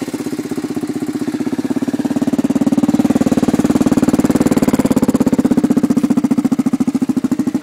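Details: Kawasaki KLR with Schnitz 685 big-bore kit, first start: single cylinder thumps at a steady, even beat with no knock or miss and holds idle; running healthy.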